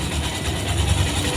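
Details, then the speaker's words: Honda Verza motorcycle, which had a rough noise from the left side of the engine, running after timing chain replacement. A steady, even, low drone with a soft, uniform patter and no knocks or rattles; very smooth, normal running. "Ini lancar, Pak. Sangat halus. Cobalah mendengarkan. Ya. Sangat halus."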